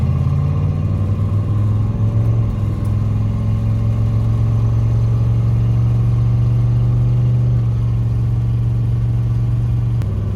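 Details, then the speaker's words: Turbo police car after swapping to 3.55 rear gears, driven on and off throttle; steady engine drone with no whine or howl, quiet, healthy differential. "It's not noisy. Wait till I let off the gas. See if I can hear anything. Nope. Noise at all. Quiet set of gears."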